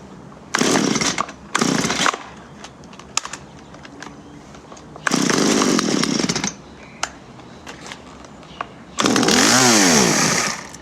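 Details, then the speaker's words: Stihl MS-170 chainsaw, 25 years old, refusing to run: short revving bursts dying after a second or two, silence between restarts; bogging and stalling, owner suspects fuel starvation. "It sounds to me like it's running out of fuel, because"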